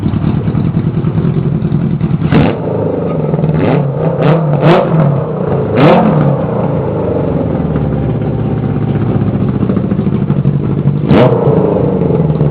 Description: Just firing the motor up for the first time, temp exhaust with no air filters yet.